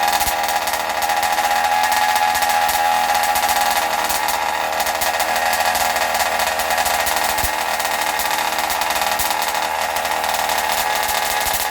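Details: Zenoah G320 two-stroke in Losi 5IVE T during break-in: steady high-speed buzz gradually softening as the mixture is deliberately richened for more oil; running normally, rich for break-in.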